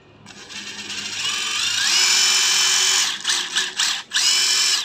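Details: Used cordless tool on a worn Hitachi battery pack, circuit said to be 98% good, light working and four settings: the motor winds up to a smooth, steady high whine, then blips on and off with the trigger. Runs cleanly.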